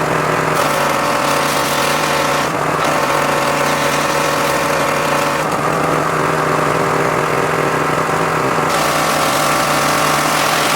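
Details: John Deere X540 mower that came in crank-no-start with no spark, idle about a year; both coils found dead, failed module swapped. Steady two-cylinder drone at constant pitch, no misses or stumbles over eleven seconds: normal running after repair.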